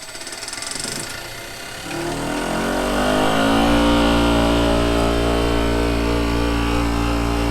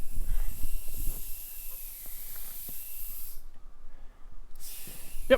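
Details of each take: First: Maple-sap vacuum pump started on its frequency drive after the heater was turned on to warm oil that is too cold to spin; it winds up smoothly to 1700 rpm and settles to a steady, even hum with no knocks, reaching its roughly 27-inch vacuum setpoint: normal start. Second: Maple sap tubing vacuum system, pump running, wind picking up: thin steady high-pitched hiss of air sucked in, briefly stopping and returning, from an open untapped spout at the end of the main line; vacuum leak.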